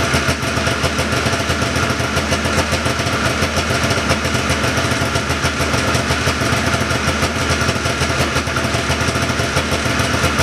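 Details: 1979 John Deere Cyclone 340 vintage snowmobile two-stroke after carb cleaning, no airbox or filter fitted: steady even burble at slightly high idle, no stumbles or surging; idling pretty good, could use slight adjustment; normal idle.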